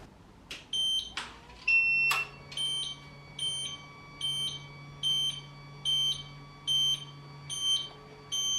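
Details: Laser machine chiller: shrill electronic alarm beep repeating steadily, about 72 a minute, over a low pump hum, still sounding after reassembly; hoses and flow sensor were fine, and a faulty relay keeps the alarm on.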